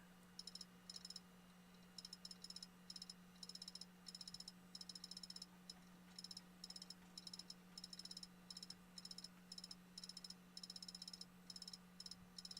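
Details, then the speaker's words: Failing hard drive in a laptop: quick bursts of sharp high clicks in repeating clusters over a steady low whir; Windows reports the physical drive is not accessible. "And it says still can't access the drive. Physical drive is not accessible."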